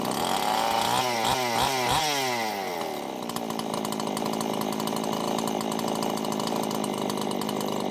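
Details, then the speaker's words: Husqvarna two-stroke chainsaw after an oiler mod with a new oil pump, idling to check the oil output: quick revs die away into a steady, even idle with no hunting or misses, sounding healthy. "You can see it's definitely flowing a pretty decent amount now."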